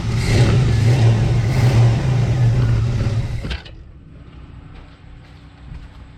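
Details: 1985 Chevy S10, test start after valve cover gasket and distributor O-ring replacement; runs at steady, fairly brisk speed about three seconds then shuts off, no knocks or misfires: normal running, no oil leaks after 15-20 minutes.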